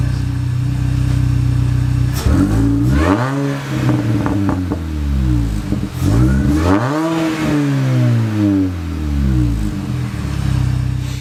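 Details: Mini after ignition overhaul with new plugs and MSD wires: clean idle with two crisp throttle blips rising and falling smoothly, no stutter or hesitation; normal idle and revving.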